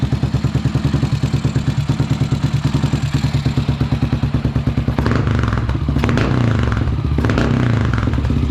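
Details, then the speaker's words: Dominator scrambler single-cylinder after oil top-up: fast idle that steadies then wanders, chain clatter now quieter at low rpm; unstable idle, mixture needs richening and carburetion revisiting. "Par contre, le ralenti, on sent qu'il est instable. À cause du cornet, il va falloir que je repasse une richesse."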